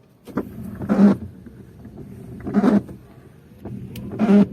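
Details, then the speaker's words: Mitsubishi Adventure with 5 to 10 year old Bosch wipers on sprayed wet glass: loud squeak-chatter about every 1.6 seconds per sweep, persisting after swapping left and right blades; blades need replacing. "it's been like i think five or ten year old wiper and it's kind of noisy so we're gonna do a little sound check okay sounds like the philharmonic in action"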